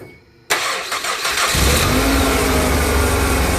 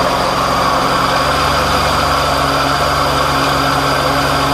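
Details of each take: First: 2007 Ford Escape 2.3 L four-cylinder after replacing grinding AC compressor (found with stethoscope), compressor left unplugged until charged: starter catches within a second, settles into smooth even idle, no squeal or rattle; noise gone. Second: 2007 Ford Escape 2.3L four-cylinder at idle: constant rough grinding rasp from the AC compressor at the lower front right of the engine, found bad with a stethoscope; compressor replaced.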